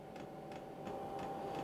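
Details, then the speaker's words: 12 V diesel heater starting on the lowest heat setting, run from a power station on DC power, drawing up to about 133 W: soft regular fuel pump ticks about three per second over a fan hum, normal. "Okay, I can hear it ticking now."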